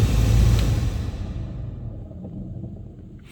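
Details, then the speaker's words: VW Polo (9N) cabin blower motor, replaced once before, its resistor/thermal relay found broken: deep, uneven rumble with rough pulsing beat, fading as it slows; suspected broken internal gear, so the motor is replaced. "Yeah, this is a good indication that maybe some gear, if it has some gear inside, it gone broken."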